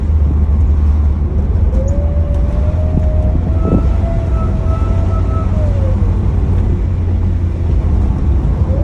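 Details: 2007 Pontiac Solstice GXP whining when accelerating, even after both belts were replaced: a clear whine climbs in pitch as the engine pulls, then eases off with the revs over road rumble; source not found.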